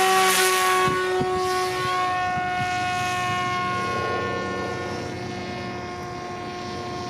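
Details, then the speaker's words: Aggressor F-Swept FPV pusher plane on maiden day, before the motor was moved back 45 mm; sharp high-pitched propeller whine with strong steady tones slowly fading, loud enough to hear two kilometres out. "seems to me there is quite a difference in noise alone before i would hear it at two kilometers out ridiculous as it may sound but it is true throttle up and you can hear it from two kilometers"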